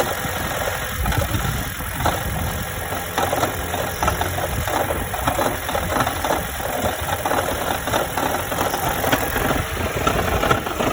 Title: toyota auris 1.8 hybrid strange noise